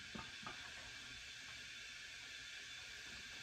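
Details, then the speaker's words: 2010 Subaru Forester parts-car engine, rebuilt with redone heads and new rings, not running, leak-down test on cylinder 1 at TDC with 100 PSI: steady, even air hiss. About 30% leakage, in the green and acceptable. "I am in the green right at about 30 percent so I'm happy with that"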